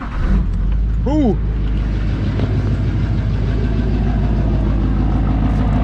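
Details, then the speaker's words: Duramax diesel bought for a Suburban swap, started on a battery taken from another truck: after a brief rev it settles into a low, even idle with a steady beat and no knocks, running real smooth; check engine light on for turbo vane position sensor and glow plug. "thing runs real smooth no brakes in this thing"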